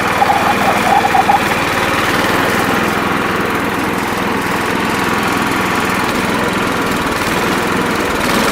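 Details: Sears Suburban SS12 garden tractor, believed 1970, driving in high range with mower blades engaged: steady drone, no surging, misses or knocks under load; running healthy.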